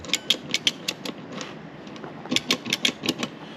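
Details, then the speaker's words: Truck with home-made sequential transmission controller cycling gears via shift buttons, ECM driving dummy solenoids: loud crisp clicks in quick groups as gears step through; normal solenoid clicking. "And then I can switch, and then if you can hear it, you can hear the big solid clicks over there. The ECM would actually control solenoids that do nothing."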